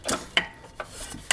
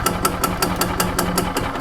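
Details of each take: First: 1995 Yamaha G14 gas golf cart that stopped and won't crank: pressing the pedal while rocking the clutch gives sharp, uneven chattering clicks and slight whirl but no engine rotation; starter generator needs new brushes. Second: 1995 Yamaha G14 gas golf cart after starter generator replacement and PCV reconnected, previously wouldn't restart or crank: even single-cylinder thumping that quickens and smooths out, running steadily with no misses or knocks; normal running.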